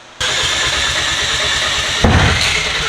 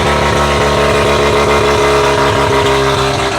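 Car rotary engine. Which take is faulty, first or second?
first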